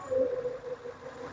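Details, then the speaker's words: Old Naza Citra idling after repairs to the injector wiring, with the mic placed near the engine: quiet, even idle with a soft steady hum and no knocking or ticking. The engine is said to sound like a new car's. "injin dia senyap, Siapa boleh dengar injinnya? Saya letak mic. Nah, injin dia macam kereta baru."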